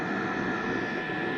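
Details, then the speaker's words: Diesel air heater with battery-backup mod, at full temperature running at full tilt on mains power: steady, even rushing roar with a faint constant whistle, no surging or pulsing; normal full-output operation. "okay so now running at Full Tilt this went down a little but it will maintain that"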